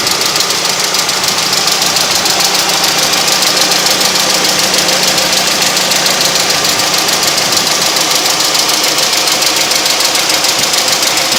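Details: Honda H23A petrol engine running: steady, sharp high tapping from the cylinder head, about three or four a second, plus a faint low knock. Owner suspects possible early rod knock; unconfirmed.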